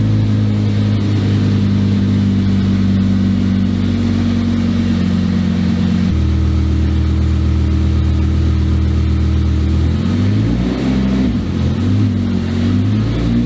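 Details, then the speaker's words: Volvo 244 race car with a V10 in the back on a brief first drive: high, steady revs with sudden drops and pitch changes, yet it barely pulls. The gearbox won't take drive properly; gearbox or electronics are suspected, with adaptation being attempted. "the gearbox is not happy so the problem is the gearbox or the electronics I think"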